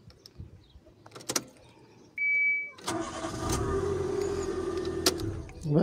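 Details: Nissan March K12 that would not start or stalled due to a weak fuel pump (1 bar instead of 3.5 bar), after fuel pump replacement and hose refitting: brief chime, then engine catches at once and idles smoothly, no misses or knocks.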